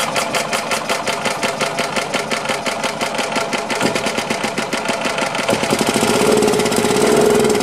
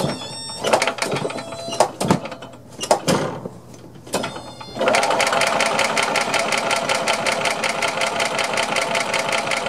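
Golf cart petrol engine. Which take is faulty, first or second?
second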